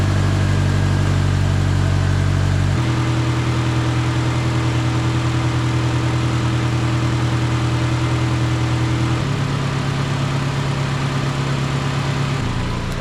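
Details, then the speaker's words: 2008 Honda CR-V after replacing ignition coils (owner reported stutter at red lights and with A/C on): initial start with slight uneven stumble, brief misfire, then pitch steps down to steadier idle. "all right so an initial start there I I felt like it was misfiring a little bit but it it kind of leaned out there"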